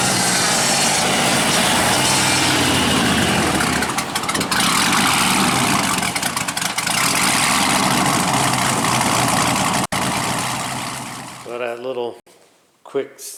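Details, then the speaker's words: AMX with a newly installed supercharged 6.0 engine, on a test drive. A smooth, steady note, about four pulses a second, with no ticking or knock and good throttle response; it still tends to stall in gear until fully warmed up. "other than that sounds like a good engine i hear no ticking no nothing it's pretty smooth it's got good throttle response"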